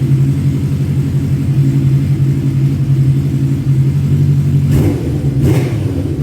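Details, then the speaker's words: 1985 Kawasaki GPz 900R Ninja revived after sitting, slightly warm, with its pipes, after rusty gas tank cleaned and refitted: even idle then two quick throttle blips rising and falling cleanly; healthy, no misfire. "It sounds freaking awesome with those pipes on it. And when I really crack into it inside this block building, it's awesome."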